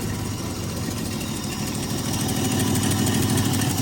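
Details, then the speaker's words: Jaguar six started: lumpy, uneven idle stumbling about three times a second, running on five cylinders because a loose spark plug lead is not making contact; exhaust also sounds like it is blowing. "Oh, you got you got a spark issue here. D making it a bit rough. Sounds like your exhaust is blowing."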